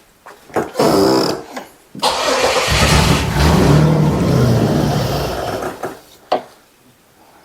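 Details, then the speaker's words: 1996 Camaro 3.8L V6 catches quickly and idles fairly evenly for a few seconds, then cuts out abruptly without sputtering. The owner suspects the anti-theft security system; the cause is unconfirmed. "really honestly sounds like security stuff cuz it just dies it doesn't like sputter out"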